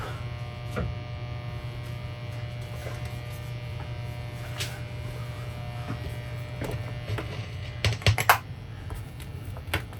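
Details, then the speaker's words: Steady low 120 Hz buzz with faint clicks from a 1980s MXR M-108 10-band graphic equalizer during testing. A tired power supply filter capacitor is suspected and needs replacing. "t's gnarly it's Buzzy I'm not in love with it um but it probably just has a big power supply cap inside of it that needs to be replaced"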